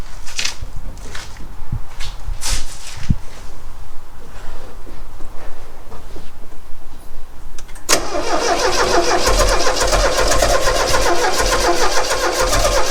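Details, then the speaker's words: 1969 Renault 16 on an external fuel supply, second attempt with starting fluid and the original HT lead refitted: scattered, irregular pops, then a steady starter churn that never catches; owner suspects it fires on maybe one cylinder. "I don't know if that makes any difference. It seems to be firing on maybe one cylinder."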